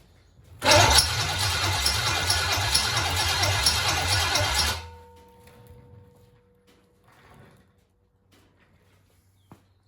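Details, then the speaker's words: 1966 Chevelle small-block Chevy V8, long-sitting barn find, carb bowl filled and flooding; starter churns steadily about four seconds but never fires; suspected no spark, later found three plug wires on wrong; crank no start. "Nothing. Looks like she ain't getting no spark. She's trying."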